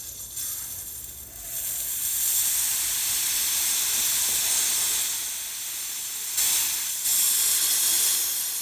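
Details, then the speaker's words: 2000 Chevrolet Silverado 1500 5.3L: A/C service valve reopened to finish the refrigerant discharge before compressor removal, with oil coming out alongside. Steady, high, airy hiss that surges and eases as the valve opens. Normal refrigerant venting. "so I gonna crack this valve open again and not stand in the cloud of refrigerator coming up"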